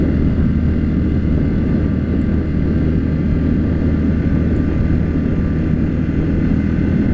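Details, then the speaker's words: New 2019 Yamaha Grizzly 700 EPS ATV, still breaking in, cruising cold wooded trail in November: steady low drone with even belt whine riding on it, like a supercharger; normal CVT belt whine. "Listen to that belt whine. Sounds funny. Still getting used to that part, but at least not a Kawasaki. I like Cowie bikes, but man, the belts are some whiny on those. It's like a supercharger coming down the trail."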